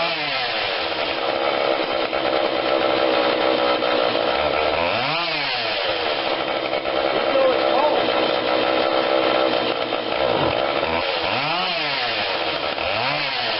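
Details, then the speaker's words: Husqvarna 142 40cc chainsaw, cold start on choke only (no primer bulb), before carb tweak: high idle buzz with revs sagging and nearly dying a couple of times before recovering; rough stumbling idle. "we're going to go in there just tweak it a little bit you"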